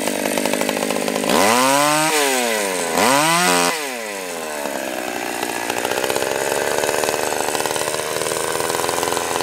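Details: Stihl 020 AV chainsaw, first cuts after a carb rebuild, new gasket, clutch, chain and nose-bearing bar: two quick revs climb and drop cleanly, then an even, steady cut under load; sounds healthy and strong.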